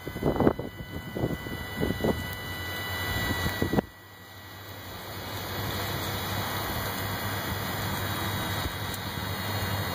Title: Buzzing noise:Volvo s60